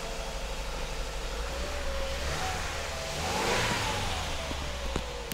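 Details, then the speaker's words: Subaru Forester with a replacement engine, swapped after the old one burned oil with low compression in all cylinders: one clean rev climbing smoothly and settling evenly, no knock or tick; healthy. "well it runs you guys heard it it sounds good had a little bit of chatter you know how to get some oil running through things but sounds good now rev's nice"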